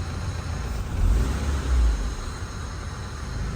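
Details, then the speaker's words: Honda Civic with the AC on: low rumbling idle that sags very deep after short revs; the idle screw on the idle air control valve had been adjusted to compensate for the aircon; low idle from misadjusted IACV. "may adjustment pala kami sa ICV ginawa namin in-adjust ko 'yung idle screw ng IACV para i-compensate 'yung kanyang aircon"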